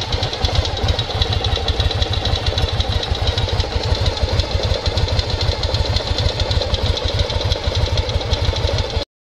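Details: 1995 Yamaha Virago XV750 V-twin idling at about three beats a second, with a light tapping knock on each pulse from the front of the engine; phone held close, quieter in person; owner unsure if normal.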